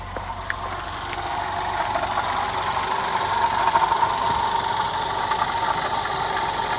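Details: Audi A1 1.4 TFSI at idle: a thin whistling tone around one kilohertz over the engine hum, heard near the coolant expansion tank after coolant loss; cause unknown.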